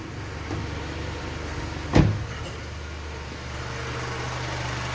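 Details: Honda Civic G9 flex-fuel running on additive gasoline, A/C on, after replacing the accessory belt tensioner that had vibrated with a loud tec-tec: steady low idle with one soft thump as the A/C compressor kicks in; no ticking or vibration.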